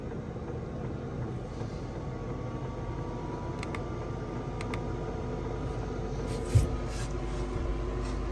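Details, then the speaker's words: Diesel heater newly installed in a VW T4 van, warming up and running faster as it heats: a quiet, steady fan hum with the fuel pump audibly ticking, no rattles or surging. "So you can hear the pump, hear it firing up. It's getting faster."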